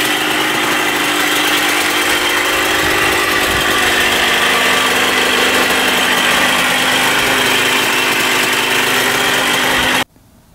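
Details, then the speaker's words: 1994 Honda CR125 two-stroke dirt bike, with a temporary gasket-maker fix on the coolant-leaking cylinder/head: sharp high crackly buzz revving steadily with a raspy edge. The owner thinks it sounds lean and needs richer jetting. "all right this thing also needs to be jetted a Ted richer it uh it sounds pretty lean to me so we'll have to do that as well"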